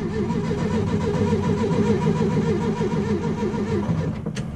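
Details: Steady rhythmic cranking at roughly three to four turns a second for several seconds, never catching; a hot VW Beetle engine that won't restart.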